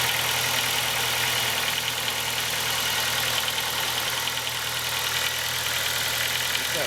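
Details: Ford Focus 2 engine at cold idle: even running with faint irregular tapping and rattle over a hissy top end; noises nearly vanish after 5–8 minutes of warm-up, and a growl appears above 3000 rpm; cause unknown.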